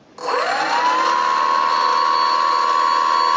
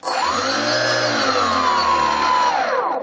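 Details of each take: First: Brushless outrunner prop motor on a Skywalker RC model aircraft, after in-situ dynamic balancing by grinding material from the motor side: clean, steady high whine with no wobble, pulsing or low drone; smooth running, balanced motor. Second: Brushless outrunner prop motor on a Skywalker RC model buzzing at a high steady pitch with a low droning hum underneath; vibration from an out-of-balance motor, before dynamic balancing.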